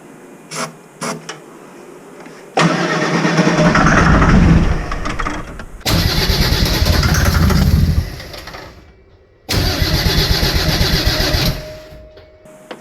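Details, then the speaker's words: Mercedes OM603 diesel in a Ford Ranger with ZF5 transmission, first start attempt after sitting, no glow plugs, starting fluid down intake: three long sluggish cranks about three turns a second, never catching; dead battery, owner thinks it would start otherwise. "that battery wasn't dead she would probably go"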